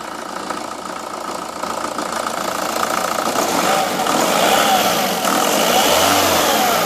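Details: Vauxhall/Opel Astra H Mk5 1.7 diesel with 98k: diesel clatter at idle rising smoothly as it revs, even pulses with no knock or miss; engine starts and runs healthy.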